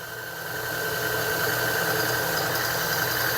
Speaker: where it it barely starts to chirp where the Metal's touching the metal and that's basically how you want to set your zero point